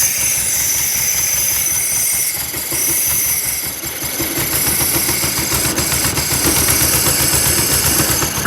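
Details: Porsche 914 1976 VW Type 4 2.0 fuel-injected engine, barn find run on a test stand out of the car: uneven, lumpy, hissy running; sounds like a big vacuum leak, plus a fuel leak seen.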